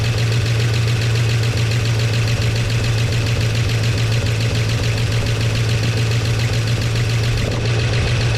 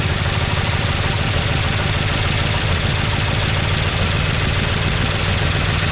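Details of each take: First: 1969 Chevy C10 engine idling after timing adjustment, oil pressure restored to 50 psi on an added gauge. Steady low rumble, even beat, no loud tapping or knock; idling fine, flush and oil change still planned. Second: 1969 Chevy C10 engine with an oil pressure problem, started with carb cleaner after slow cranking; gauge barely moves, then drops. Rough idle with loud, busy metallic rattle throughout; engine rattling from low oil pressure.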